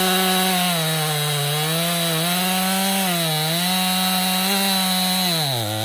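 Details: Stihl MS261 M-Tronic chainsaw, hot: revs rise and sag unevenly instead of snapping up on throttle. This bog on acceleration suggests it is running lean, and a carburetor service is suspected to be needed.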